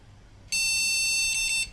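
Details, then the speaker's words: Second-hand desktop PC after reseating RAM, at power-on: one shrill beep about a second long, BIOS POST code that no graphics card is detected. "that's saying it can't see the graphics card I'll put a known good one here"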